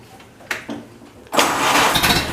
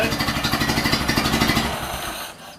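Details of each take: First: Ford Model A pickup, warm restart after first start since reassembly, electric fuel pump: brief crank, catches cleanly and settles into even idle; slight exhaust smoke, smells rich. Normal hot start. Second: Ford Model A pickup, first run since reassembly, smelling rich and a bit smoky: old four-cylinder pulsing unevenly with lumpy stumbling beat, then settles and smooths out after battery was switched back on. Rough running that clears; cause unconfirmed.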